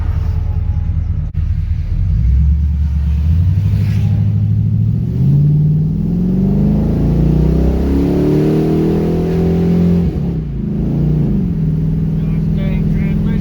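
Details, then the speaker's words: LS-swapped Pontiac Firebird V8 on a cold day (about 30 degrees), after replacing a temporary spark plug wire fix with new plug wires, driving in fourth gear: pulls up smoothly with an even, deep exhaust note, no ticking misfires or shaking; firing cleanly. "so the thing that I would see with the misfires typically sitting in traffic by now I would have heard a couple little misfires just a little tick tick tick tick tick tick tick tick and this thing would start shaking a little bit we're good"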